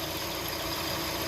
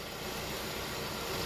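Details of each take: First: Hyundai Tucson idling with AC on and compressor clutch engaged: constant hissing, humming drone over the idle from a worn belt idler pulley bearing; bearing to be replaced, noise seemed fine with AC off. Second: Hyundai Tucson after replacing the belt idler/tensioner pulleys with a manual tensioner, engine idling with AC on loading the belt: steady even idle, smooth belt whir, no squeal or chirp; belt drive now much quieter.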